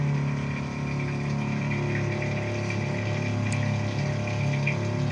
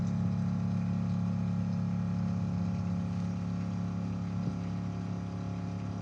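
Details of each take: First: Steel Green spreader/sprayer pump during winterizing, circulating the left tank with return valve off: steady even low hum with smooth liquid rush, no surging or knocking. Normal pump circulation. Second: Now that it's empty, you can hear how it's sucking air, and then the pump just lost pressure.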